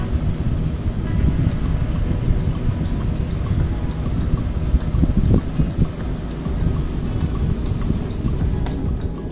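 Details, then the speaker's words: Rechargeable charger fan after repair: the battery terminals were reconnected and pressed tight to prevent a loose contact, and the case was screwed back together. Steady, even airy whoosh with a low hum, no ticking or rubbing: the fan runs normally again. "হ্যাঁ, দেখুন ফ্যানটি চলছে, খুব সুন্দর চলছে। এই দেখুন ফ্যানটি চলছে খুব সুন্দর।"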